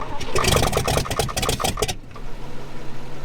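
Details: 1962 Chevrolet Impala, 235 inline-six, sitting over 25 years, points reinstalled, no exhaust fitted: loud open-pipe firing catches unevenly for about two seconds, then it quits. It runs only on poured-in prime with no fuel delivery.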